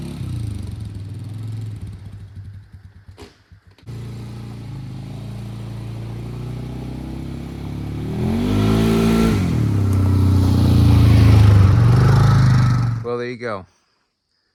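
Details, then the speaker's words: 2002 Polaris Sportsman 500 H.O. single-cylinder after replacing worn primary clutch (belt walking) with Mother Clutcher primary plus spacing bushing; idles evenly then revs and pulls smoothly, no belt-drive clatter or slipping; CVT clutch healthy. "A little bit of spacing, a new clutch, took some noise away from the clutch. That thing engages and grabs real nice, really nice power transfer. Shifting fine now, so we are good to go."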